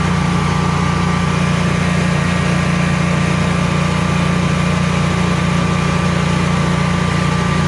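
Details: Generac Guardian 16kW standby generator running on gas after refurbishment, carrying close to 6,000 W of heaters: an even low drone with a constant hum on top, no surging or stumbling, healthy under heavy load and not hesitating.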